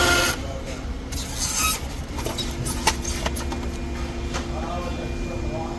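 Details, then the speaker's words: Customer car, front right wheel, complaint of extremely loud rotor noise heard down the street: harsh scraping rasp with scattered metallic rubs as the wheel turns; brake grinding at the front rotor, since fixed. "This customer brought their vehicle in stating that there's an extremely loud noise coming from the rotors. The entire mechanic's workshop street could hear the noise."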